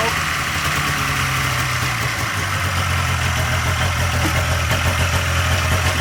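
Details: 1997 Polaris Indy Classic two-stroke barn-find snowmobile on new hoses and fresh, thickly oil-mixed gas: busy, slightly uneven burble holding a steady idle without dying or bogging; running fine, judged a good running machine.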